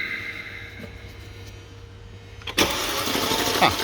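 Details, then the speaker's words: 2014 Mercedes E63 4matic, 44k km, tuned with methanol, full exhaust and turbo upgrade on stock internals: starter cranks with uneven, lumpy beat about three a second; bent connecting rods (cylinders 1 and 5), scored cylinder 1, some cylinders no compression; engine must come out. "Alright. Okay, that's a good one. Some cylinders don't have a compression at all."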